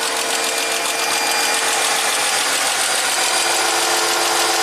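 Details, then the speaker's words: 2004 Chrysler Crossfire off road over a year with no-crank, started by powering the starter wire directly: steady idle with even high hum and faint alternator whine, no knocks; charging at 14.3 V, normal idle. "actually starts and runs let's see what the voltage is if we turn off our charger 14.3 so it's [Applause] working you hear the alternator putting out pretty good"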